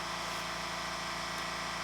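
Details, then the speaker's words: California Air Tools ultra-quiet compressor with intake silencer fitted: steady, even motor hum with soft hiss and no harsh clatter through the cycle; quieter, less clackety, normal running. "i think overall it's not as clackety it sounds quieter"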